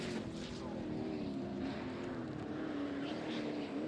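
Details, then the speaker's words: Methanol sprint race boat under steady power: wavering engine drone with a faint clean turbocharger whistle on top; turbo sounds healthy. "that's kind of cool because the boat's quiet enough you can hear it whistling clean"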